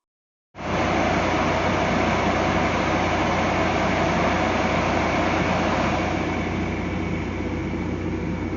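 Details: Transformer cooling-fan induction motor on a solo dry-run test via direct-online starter after repair (winding insulation 208 MΩ): steady even hum and smooth airflow rush, no knocks or rubbing, constant pitch; healthy normal run.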